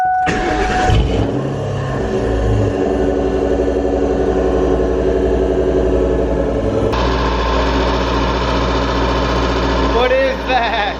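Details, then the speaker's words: Ford Mustang Mach 1 V8 on jack stands, starting and idling: a rapid tapping tick from low in the engine, at first feared as rod knock, caused by a bent oil-pan baffle striking a rotating part. "just hearing that noise that ticking noise inside my head give me headaches hopefully today we'll be able to find where that ticking is coming from"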